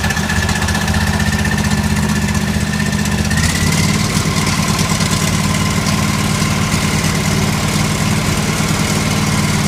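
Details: John Deere L130 lawn tractor idling after a blown fuse was replaced with a new 20 amp fuse and the battery charged: steady single-cylinder putter, even beat, slight pitch rise midway, settling into smooth healthy running.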